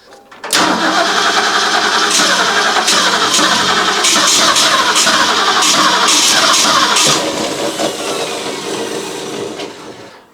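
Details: Small block Ford cranks steadily at roughly three to four beats a second for several seconds but never catches; crank no-start after installing a new Pertronix Flamethrower distributor, spark confirmed, battery wearing down.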